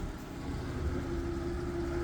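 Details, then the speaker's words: Old Ford truck, hot from a recent run, out of gear: steady, even low rumble with no knocks or misses, smooth settled idle; purrs and runs perfect; normal idle. "I mean, listen to that, girl. Just purr. Mint."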